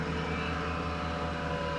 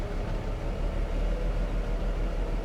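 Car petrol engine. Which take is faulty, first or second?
second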